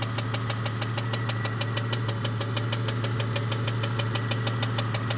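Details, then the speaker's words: 1998 Jeep Cherokee XJ 4.0L with a noise that appeared overnight, after the head was pulled and the lifters replaced; sharp, even ticking about three a second over a deep idle, owner rules out rod knock and piston slap, source unknown. "I pulled the head to replace the lifters and I thought that I had collapsed lifters because of how sloppy and that that valve sounds"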